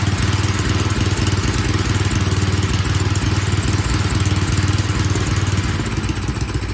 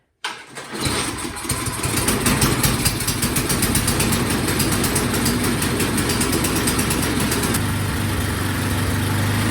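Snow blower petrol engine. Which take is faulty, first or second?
second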